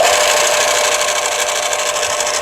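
Steady, even whir and belt hiss with no thumping, slapping or rubbing; the sander is running smoothly with the belt tracking true.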